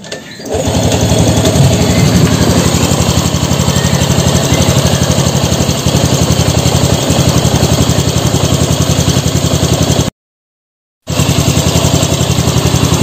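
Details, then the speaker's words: Revo Fit fuel-injected motorcycle after repair, with both camshaft bearings (6904 and 6001) replaced and the throttle body air setting adjusted. Steady, smooth single-cylinder idle with evenly spaced pulses and no knocks; it no longer stalls. Normal idle. "Hai suara mesinnya halus lembut kepalanya ya standar langsamnya ini sudah tidak mati-mati lagi nggak seperti awal ya"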